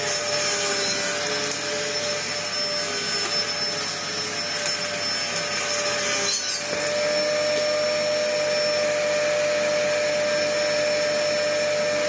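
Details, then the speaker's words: Dyson DC01 upright vacuum built 1998, first run before service: steady strained whine with a thin high note that barely changes, the motor pulling against a choked airflow path; the machine is completely clogged up. "This thing is completely and utterly clogged up."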